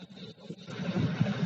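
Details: Petrol engine idling with a low, even rumble, free of stumbles or skipped beats, after fixing misfire/knocking caused by a faulty high-tension lead; normal idle.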